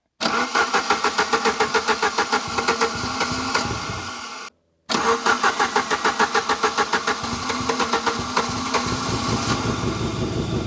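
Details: Saab 900 Turbo Commander that sat 10+ years, Bosch K-Jetronic injection, kept running by lifting the air-flow plate by hand. Engine pulses unevenly at about three beats a second, surges and briefly dies, then catches again. Rough running from suspected fuel starvation.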